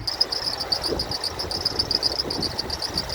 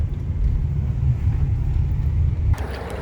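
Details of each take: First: 2006 Toyota Tundra SR5 RWD, 4.7L V8, 5-speed automatic, 233,484 miles, under the hood at idle: high chirping squeak two to three times a second from the serpentine belt; no ticking or misfire. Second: 2006 Toyota Tundra SR5 4.7L V8, about 240,000 miles, warm idle after a test drive: low steady rumble, the earlier belt squeak now gone; belt seemed to need warming up and still needs replacing eventually. Normal idle.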